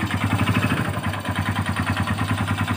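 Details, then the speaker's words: Honda Supra Fit/Legenda/Revo-type motorcycle idling with a hard, rapid "klotok" knock on every firing pulse that grows louder when revved, suspected worn connecting rod, unlike a valve's lighter "kelitik" tick. "Jadi kalau digas itu makin kencang, jadi pengalaman saya kalau bunyinya klotok gitu ya. Kalau digas makin kencang biasanya dari stang seher."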